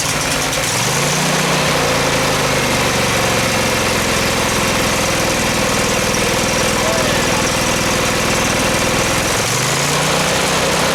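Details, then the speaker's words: Craftsman FS 5500 lawn tractor, single cylinder, after a carburettor clean and choke fix. Runs steadily with small speed dips at the start and near the end, otherwise even: normal running, apparently fixed. "I don't want to run it too long. I think we got her fixed."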